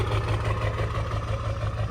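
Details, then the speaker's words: Half-million-mile Ford 7.3 Powerstroke diesel idling after replacing both damaged valve cover harnesses and gaskets, which had caused hard starting, lope and shake; deep steady even knocking, only faint lope, no surging or shaking; runs fine. "it started up. It sounds good. It's not shaking like a wet dog. The whole truck isn't rocking back and forth anymore. It's not surging or loping."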